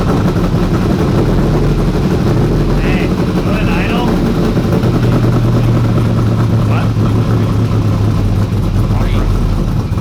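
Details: 1992 Ford F150 prerunner V8 after running very rich: low steady idle, a little uneven and lumpy; rough running, owner suspects fouled spark plugs, not confirmed.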